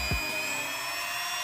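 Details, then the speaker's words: Mini grinder after replacing its faulty on/off switch, having been totally dead: steady high-pitched whir holding an even tone after spin-up, no rattle or grinding; running normally again. "Oke jadi seperti ini Lur Oke sudah nyala dan normal kembali"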